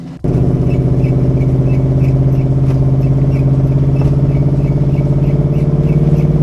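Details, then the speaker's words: 500HP Rambler station wagon, driving after sitting six months post-abuse, GoPro mounted at rear: steady low drone with faint repeating squeak that speeds up with wheel rotation; suspected brake dust shield rubbing, unconfirmed. Rear squeak while driving. "what's making this noise in the back so we're trying to get some rotational noise and see what's moved up here"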